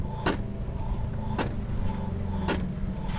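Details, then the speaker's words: Honda PCX 160 after a CVT service with worn rollers replaced: steady running with a rough scraping surge about once a second from the rear wheel. A rear axle bearing or mounting is suspected, unconfirmed. "Nah, ini ada suara kasar. Tuh. Nah, kelihatannya kasar ya. Di bagian lahar as roda mountingnya ya, mungkin lahar mountingnya akurat selesai."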